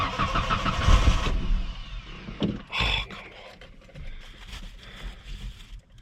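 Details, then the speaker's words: 1994 Ford Ranger after a gallon of Red Bull (owner also mentions vodka) put in the gas tank: engine cranks, fires briefly then dies right away; owner suspects it got into the fuel pump and no fuel is delivered. "Oh, it's like it fires up and then it dies right away because it doesn't get any fuel."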